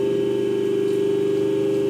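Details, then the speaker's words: Hydraulic power pack for a stage lift, 140 cm cylinder, 5 cc pump, tested at night: even, steady mid-pitched motor and pump hum, no surging, knocking or cavitation rattle; fairly quiet, normal running. "Nah, ini bunyinya terdengar ya. Jadi lumayan senyap."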